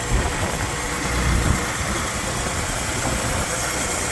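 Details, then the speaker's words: Engine idling after swapping in a water pump from the old motor to fix a coolant leak, with covers off. No leakage, timing good; smooth, even idle with no knocks, ticks or squeals. "The car is started. No leakage. Like it was before, not leaking. Timing is good. Everything sounds great."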